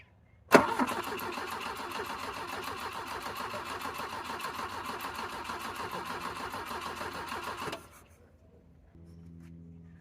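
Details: 1985 Volvo 740 with Weber 32/34 DMTL carburettor conversion jetted for E85, sat over a year, on a borrowed battery: sharp start then about seven seconds of steady even cranking that never catches; cranks fine but won't fire, cause unconfirmed.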